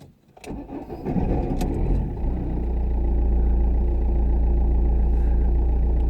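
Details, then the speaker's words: 2009 Ford Fiesta Mk7 1.4 TDI, 5-speed, test start just after replacing the faulty starter motor: brief quick crank, then the engine catches cleanly and settles into an even idle; normal start. "Let's fire it up. Let's see. Well, that's a good sign, because it started."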